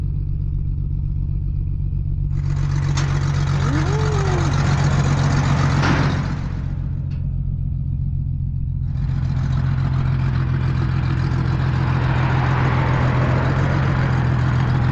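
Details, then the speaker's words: 2003 Chevrolet Trailblazer with no exhaust, barely running and cutting off in third gear: loud, deep, blatty engine drone with a boomy throb, sounding like a diesel truck; exhaust missing. "Not a mechanic, but I don't think it's supposed to sound like that. >> It sounds like a truck, like a diesel truck. >> Has no exhaust."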